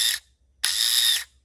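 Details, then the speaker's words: Removed starter from a Yamaha Grizzly 550 ATV bench-tested with jumper cables: two bursts of harsh high-pitched grinding and whirring; the starter was previously seized and is binding and rough inside, needs replacement. "But hear that racket it's making? Now I kept fooling with this the other day, but it was stuck."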